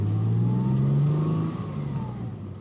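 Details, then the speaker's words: Ford Mondeo ST220 V6 after repair, having previously not run right: engine pulls up smoothly with a clean rising then easing note and no misfire or stumble; now running properly and smooth. "Engine sounds beautiful now and it's performing like it should be doing. So now it's absolutely smooth."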